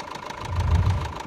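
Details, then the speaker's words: Renault Scenic 1.9 dCi 120hp diesel, 230,000 km, overhead cam with hydraulic tappets, at idle after injector replacement: sharp steady metallic clatter on cylinder 2; swapping injectors changed nothing, tappet clearance being checked, cause not yet confirmed. "j'ai un gros bruit métallique sur le cylindre 2"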